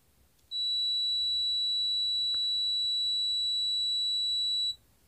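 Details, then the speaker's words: Multimeter testing a capacitor disconnected from the circuit on the 200 ohm range: one steady high beep of about four seconds, then a clean cutoff, as the capacitor charges normally. "संधारित्र चार्ज कर रहा है और डिस्चार्ज कर रहा है, भर रहा है और डिस्चार्ज कर रहा है अपनी बैटरी के वोल्टेज के साथ"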